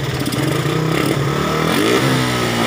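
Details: Suzuki Satria FU motorcycle after repairing a torn vacuum with glue and blocking off ports: revs up cleanly and evenly, no popping or stumbling; before, it was hard starting, misfiring, backfiring, with no power.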